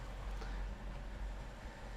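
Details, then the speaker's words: BMW N62 V8 with intermittent misfire, idling after a known-good spare coil went into cylinder 2 while roughness is watched in INPA: quiet low rumble, fairly even with no obvious skips; normal idle. "okay now i'm watching cylinder two and i'm feeling the idle the roughness or smoothness of the idle"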